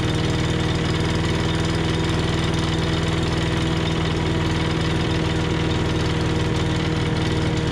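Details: 5.5 hp Tecumseh engine on an MTD Yard Machines chipper/shredder, running after a carb clean, with its governor linkage sticky. A steady, even chug with a low throb and no knocks or surging; it runs clean.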